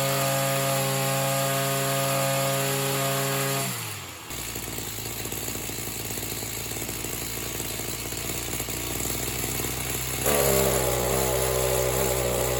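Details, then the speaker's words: Oleo Mac BC240 strimmer, warmed up, spark plug cleaned: steady idle, then on throttle sags into a rough, uneven drone and never reaches full revs; bogging, blocked in-tank fuel filter suspected. "it definitely feels like the fuel filter in the tank is probably a bit blocked up"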